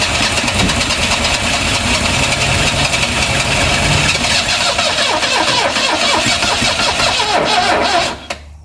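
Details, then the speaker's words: 1974 Vauxhall Magnum revived after 37 years, run on choke with fuel sprayed in by bottle: catches and runs ragged and uneven for several seconds under cranking, then dies abruptly, sounding fuel-starved; starter weakening; fuel starvation suspected, not confirmed. "Boom. Kind of runs. Hopefully. I think it will go eventually."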